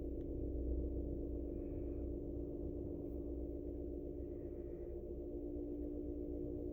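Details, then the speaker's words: Vintage 1947 GE 12-inch Vortalex fan, model FM12V1, running on low (82 volts) after startup; soft, steady low hum with even tone, no rattle or scrape. Oscillator doesn't work. "Start it up on medium. Super nice runner."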